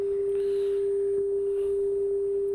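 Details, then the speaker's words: Lafayette LR-441 quadraphonic receiver, AM tuner alignment on bench: after adjusting the two coils the test tone is clean and steady with no hiss, warble or buzz; AM section aligned and receiving properly. "That's pretty clear there. Then we'll adjust the other one. Pretty good."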